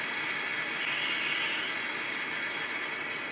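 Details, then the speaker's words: 1959 Philco Predicta Holiday TV during restoration, tubes warmed up, drawing about 0.8 A: thin steady high-pitched flyback whine over hiss because horizontal frequency is far off, killing high voltage; picture only a line. "with these sets with the horizontal frequencies off like it tends to sound really horrible and it kills the high voltage"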